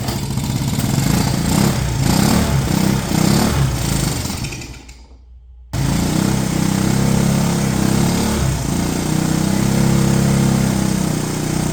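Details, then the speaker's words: 1970 Honda US90 three-wheeler barn find, sat about 15 years, first run after refueling, choke just turned off; small single settles into steady putter, no knocks, misses or smoke; normal idle. "we'll see if it'll idle who how about that typical good old Honda not even smoking or anything that's pretty awesome"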